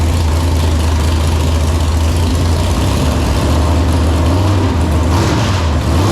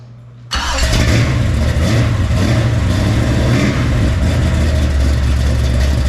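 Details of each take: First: Freshly built 454 big-block Chevy for an El Camino (10.2:1 compression, hydraulic roller cam, ported 781 heads), first fire-up: deep, lumpy idle and a smooth rev blip, no knocks; needs carb tuning; normal idle and revving. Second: Freshly built 454 big-block Chevy for El Camino, hydraulic roller cam, 10.2:1 compression, first fire-up: loud deep slightly lumpy idle, crisp but needs carb tuning; carburettor squirter spray pattern looks abnormal.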